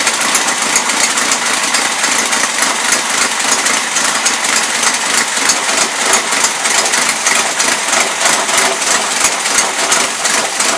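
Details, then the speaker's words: 1977 Toyota Celica, Weber carburetor, first run since 1994 or 2005: rough, uneven idle that stumbles and loads up even with the mixture screws fully in; running rich; owner also suspects high fuel pump pressure. "that's the problem mixer screws turned all the way in it's still loading up"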